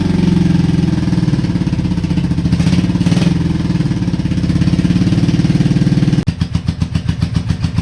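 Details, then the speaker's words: Honda Shadow V-twin motorcycle, 20k miles on same oil, after Seafoam treatment: lumpy uneven idle, loping irregular beat around four per second, idling and charging but front cylinder not firing right; owner suspects sticking valves from no oil changes, backfired earlier. "Well, she's idling and charging, so I can't really complain too much, but it does sound like it is not hitting on that front cylinder right."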